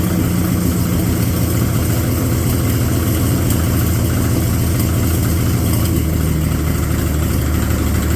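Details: Abandoned Chevy 216 inline-six from a 1950 Chevy 1-ton truck, run on used filtered oil through a couple of heat cycles: chuffy, rough idle that stumbles unevenly, with a deep knock low in the block. Misfire plus bottom-end noise.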